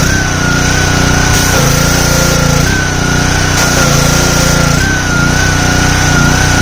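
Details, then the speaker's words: Simpson 3000 PSI pressure washer, Honda GCV engine, long stored outdoors: drones high then sags and recovers every second or two, hunting; owner suspects clogged carburetor needing overhaul. "So far so good. Uh the engine was hunty. Um that means that the uh carburetor is is is uh uh clawed up durability."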